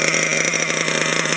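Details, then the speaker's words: Losi LST XXL 2 gas monster truck's two-stroke engine during break-in, just started and warming up: steady, high-pitched buzzy idle with even, quick firing and no misses or surging. A nice, healthy idle. "all right so right here it's got a really nice idle to it and uh it's running very"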